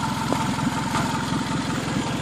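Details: 2003 Toyota Camry, first start after an engine swap: steady idle with a rapid, even puffing tick over the exhaust note from a leaking exhaust flex coupler; the engine itself is quiet, with no valve noise and no knock underneath.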